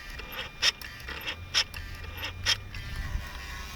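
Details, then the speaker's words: Mercedes V12 Egas throttle activation test: low electrical hum with a sharp click about every second as the throttle plates cycle; both throttle units and the Egas control module work fine. "So both units work just fine. I have no problems with the control module, which is a good news because this is an expensive piece."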